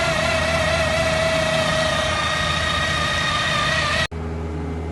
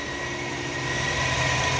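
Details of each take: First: Chevrolet Malibu Ecotec petrol engine running with loud steady high whine from front timing chain after water pump replacement; chain slack because main chain tensioner backed out, guides look fine. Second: Chevrolet Malibu Ecotec petrol engine idling evenly with a steady low hum, totally smooth after repair; the earlier whining noise from the front timing chain, which began after a water pump replacement, is gone.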